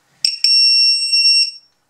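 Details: Bruder MAN TGS RC truck conversion: two quick chirps, then a steady high beep for about a second as the cell checker is plugged onto the LiPo pack; it responds normally.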